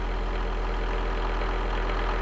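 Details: Volvo V70 D3 five-cylinder diesel, 617,000 km, after replacing the seized alternator freewheel clutch that had broken the serpentine belt: a steady, even idle with the freewheel rattle gone.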